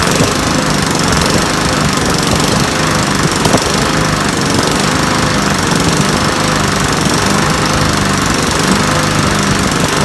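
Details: Trash-picked Sears Craftsman mower with Briggs & Stratton engine runs steady and even at full throttle with no misses or surging, after the spark plug was replaced and water from the tank was cleaned out of the carburetor float bowl: normal running.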